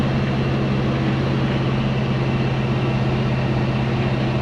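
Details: 1970 Chevy C10 with a 327 small block and HEI distributor after the ignition timing was set. It gives a deep, even V8 idle with a smooth steady beat and no misses or pinging.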